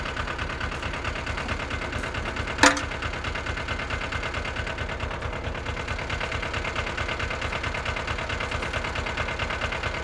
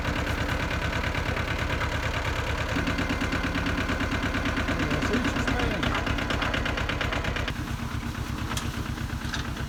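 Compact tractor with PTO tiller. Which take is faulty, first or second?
second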